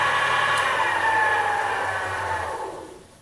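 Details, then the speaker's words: Sherline metal lathe running after its resonating wooden base was raised on rubber feet: soft even whir with faint steady tone, winding down at the end, no knocks or grinding; normal running. "so I'll turn it on you can hear it that's not too bad really that's pretty reasonable I think you know"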